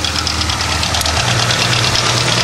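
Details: Hyundai Tiburon 1.8 L with aftermarket exhaust headers replacing a bad manifold: rapid light ticking over a slightly rough idle, fading when revved; present about 5 months, told lifters but owner unsure, cause unconfirmed.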